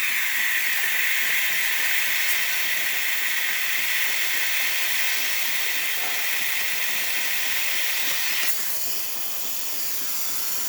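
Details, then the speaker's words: Breville espresso machine after a full service and factory reset, steamer test. A strong, steady high-pitched hiss of full steam flow that tapers off cleanly: the steam wand is working properly. "Now let's test the steamer. You can hear the steamer is definitely working."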